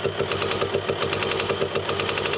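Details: Manual VW Touareg 2.5 TDI: rapid, sharp tapping or popping at idle, roughly eight to nine clicks a second over the engine; worn camshaft with failed lifters.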